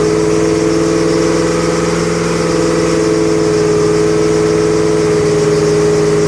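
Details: 2008 Bullitt Mustang, 8-rib serpentine belt, the morning after sitting overnight in the garage, under 30 miles driven: the engine runs hard with a steady, piercing tonal squeal on top, a slipping serpentine belt.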